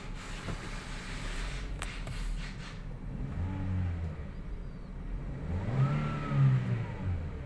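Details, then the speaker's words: 2017 Toyota Vios 1NR after replacing the cylinder 3 ignition coil (misfire, jerk pulling away in first gear): quiet idle with clean revs rising and falling smoothly, no stumble or jerk; normal acceleration. "pinalitan lang po yung isang ign coil mga Sir kanina kapagka mag-shift ka ng first gear taos iabante mo para siyang ano para siyang kakadyot kasi kapos sa ano eh kapos sa kuryente gumagana isang coil ngayon okay na"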